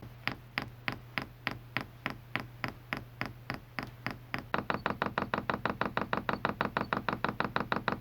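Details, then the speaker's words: Chinese all-in-one diesel heater fuel pump in prime mode, testing a plastic sound-dampening case, pump not frame-mounted: crisp even ticking about three per second rising to about five; normal dosing-pump clicking. "i'm going to go in the front control panel and put this in prime mode which basically turns the fuel pump on"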